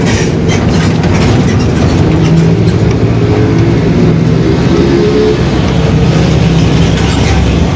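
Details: 2021 Marcopolo Torino S extended urban bus on a Mercedes-Benz OF-1721 BlueTec 5 chassis, under way: heavy diesel drive with a low growl and a faint tone rising with road speed; the rear differential is growling (diferencial roncando).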